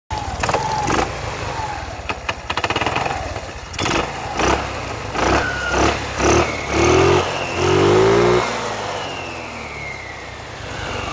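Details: Scooter engine revving up and down: irregular clicks and rattles early on; owner suspects the starter clutch not retracting; unusual engine noise, cause unconfirmed.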